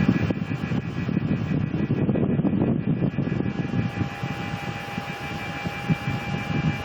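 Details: Mitsubishi Mr. Slim indoor unit: a thin, steady high whine that never changes pitch, over an uneven airy rush. The owner wonders if it is the motor; the cause is unknown.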